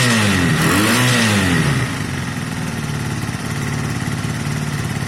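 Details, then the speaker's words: Honda CB250 Nighthawk cafe racer after piston, cylinder and valve stem seal rebuild revs up cleanly then settles to an even steady idle with no misses, no longer smoking; normal revving. "You know what, guys, I put two-stroke in the engine, so that's not smoking like it has been at all. I'm going to give it a couple more minutes, give it a good rev."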